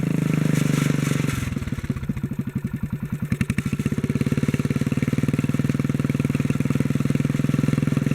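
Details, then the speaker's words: 1957 Bolens tractor single, with the fuel pump bypassed for a gravity-fed tank: after moving the governor linkage to the top hole, it hunts briefly, then settles into an even, steady beat with no misses. "yeah that seems pretty normal now [Laughter] so moving that linkage to the top hole made the difference on this one"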